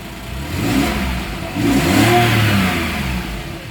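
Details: 2010 Porsche 911 Carrera S (997.2), manual, 59,000 miles: smooth, steady idle that climbs cleanly through two rev blips and settles back, no knocks or rattles. Normal idle and rev.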